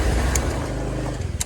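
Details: 2017 Kawasaki Versys X300 after the faulty hand starter switch contacts were joined: it starts, catching and settling into a steady, low, even idle with no misses or clatter; normal start and idle.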